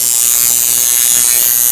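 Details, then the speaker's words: Coil tattoo machine driven by a Panic Switch pulse generator at 120 Hz, duty cycle raised to about 41 percent: fast, even high-pitched buzz without stutter, running best at its sweet spot; performance decays above about 43 percent. "there it starts to bite down you can hear the machine is actually starting to respond it's running better and better at each percentage like climb through until right about there at 41"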